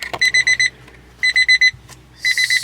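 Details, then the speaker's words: Kei mini truck with excessive-crank rough-start problem, turning it over after cleaning corroded solenoid connections: bursts of five quick high-pitched beeps about once a second, the key-in-ignition reminder chime sounding intermittently for the first time, cause unknown. "super weird development um relay that lets you know your key still in the ignition that is the first time that's ever let me know"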